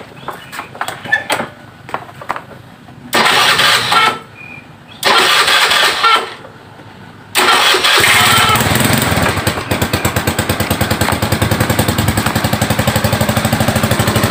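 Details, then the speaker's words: Carbureted Honda Click 110 with total electrical failure, ignition switch bypassed by jumper wire to main supply: several starter bursts, then engine catches and settles to an even steady idle with no misses; faulty ignition key switch suspected; normal start and idle. "สตาร์ทรถได้นะครับตัวนี้เพราะว่าผมใช้สายไฟพ่วงไว้นะครับต่อตรงไว้นะครับ"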